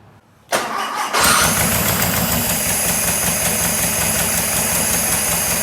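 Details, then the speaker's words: 1976 Porsche 914 VW Type 4 2.0 engine on test stand after 30 years in barn, fuel leaks fixed, plugs ungapped, no air filter: catches after a second, uneven lumpy idle with rasp; vacuum leaks suspected. "i don't see any more leaks i think we fixed all the leaks maybe there might be some vacuum leaks that we need to work on"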